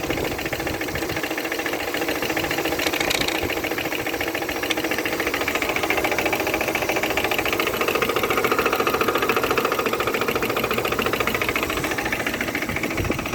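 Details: Opel Vectra B with an X18XE engine at idle: a light, regular knock about three and a half times a second rides over the steady idle. Engine knock, source unknown.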